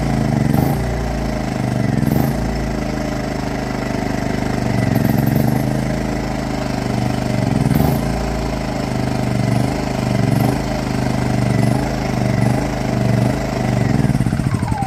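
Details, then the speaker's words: WEN inverter generator in Eco mode, oil checked good: idle rough and surging, the note swelling and sagging every second or two; it only smooths out with a little choke; engine burns some oil, and a carboned-up spark plug is suspected, before plug replacement. "got a little issue with the wind inverter generator when it's uh when you try to put it down in the Eco Mode it wants the idle rough I'm going to guess it's a spark plug but we're going to find out"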